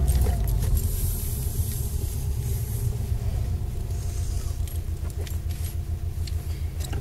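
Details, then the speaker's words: New-age Subaru Impreza WRX 5-speed gearbox after center diff bearing replacement and shaft shimming: low, even road rumble under way with no rising whine, complete silence from the gearbox. "this is the center diff bearings haven't been replaced on the new AG WR WRX 5speed gearbox complete silence"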